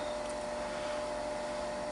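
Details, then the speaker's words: Bell & Gossett LR20BF booster circulator pump on a natural gas furnace heating system, after adding oil (Mobil 1) following five years without oiling: steady, even airy hum with faint tone, low-frequency drone gone; pump running smoothly, some humming remains. "Wow. Huge difference immediately. Look at that. Wow. Fixed it."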